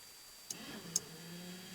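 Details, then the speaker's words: 1991 Ford F-150 windshield wiper switch after repair, switch resoldered: two light clicks then quiet steady motor hum as the arm sweeps; intermittent, low and high speeds now all work normally (before repair it worked only on high). "that's the intermediate this is off that's the low speed that's the high speed off"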